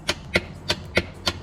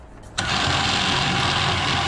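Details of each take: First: Warn V4000 winch on a Kawasaki Mule Pro FX, key on with good battery: sharp dry solenoid clicks about three a second with no motor whir. The solenoid chatters but the winch does not turn; power and ground were being tested. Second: Warn V4000 4,000 lb winch on a Kawasaki Mule Pro FX, tested directly with the wires swapped to bypass the solenoid: the electric motor spins up to a strong, steady high whir, drops briefly and runs evenly again, so the winch motor works and the solenoid is bad.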